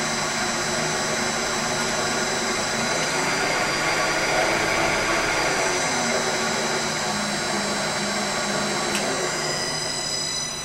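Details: Lathe motor on a VFD with its carrier frequency changed from the default 5 to 1: a loud, harsh whine of several steady high tones over the running motor, worse than before.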